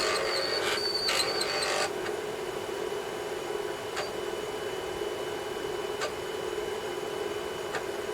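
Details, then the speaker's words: Atari 1050 floppy disk drive for Atari 8-bit computers, single head, after cleaning, loading a game: even motor whir with sharp head-step clicks every couple of seconds, loads quickly; normal disk loading. "there we go that's loaded and that's really cool quick so much better than loading from tape"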